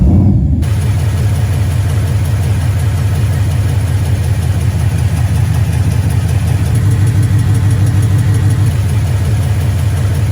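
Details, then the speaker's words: 2012 Mustang GT 5.0 Coyote, about 130–140k miles, JBA long-tube headers and Flowmaster Outlaws, day after oil change with Marvel Mystery Oil; even V8 idle with light quick tick keeping pace with revs, tick present since 36k miles, barely quieter, likely valvetrain, unconfirmed. "It did quiet my engine noise down just like a little smidgen, but it really wasn't that noticeable. Sounds very similar to before the oil change."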